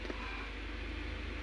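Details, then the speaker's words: 2005 Honda City, unstarted almost a year after front-end impact damage near the radiator; radiator fan run via scan tool actuator test: steady even rush of air with low hum, no rattle or scrape; fan working normally. "Ini untuk ngetes ekstra fan ya. kipas radiator atau kipas pendingin engine."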